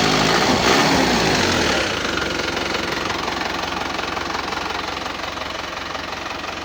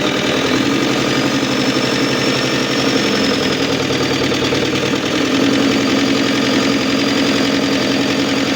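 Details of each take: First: Isuzu Panther turbo diesel after melted pistons from overheating were repaired, idling cold with no thermostat fitted yet. Steady, even, soft diesel clatter with no knocks or misses and a little white smoke from the cold engine; the idle is normal. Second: Isuzu Panther turbo diesel after overhaul for an overheat-melted piston, no thermostat fitted yet, idling with oil pressure not yet up: steady but too soft, quiet idle, slightly uneven/limping, some white smoke; injector setting not right, to be adjusted while running in.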